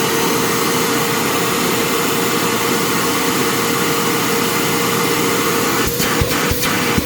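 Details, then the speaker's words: Secondhand Bissell PowerClean OnePass (35831) upright vacuum with a blocked HEPA filter, after clearing dust: steady, even motor roar with a constant mid tone, no rattle or labouring; runs much better, motor likely needn't be opened. "sounds a lot better actually I don't even think I'll need to open this up to the motor"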